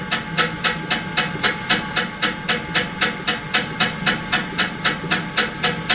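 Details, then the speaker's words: Running pottery wheel during a throwing demo: rhythmic hissing bursts about four times a second over a steady hum, an annoying noise; something appears to be rubbing, cause not identified. "I do not like that sound it's really annoying isn't it I'm going to Cone up one more time and I'll bring it back down"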